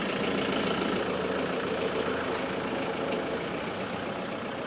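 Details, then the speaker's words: Land Rover Defender diesel, following a roadside breakdown with a bang and whooshing noise: even, steady idle with no knocks, rattles or whistles; sounds much better and healthy. "that sounds a lot better and we're off oh brilliant"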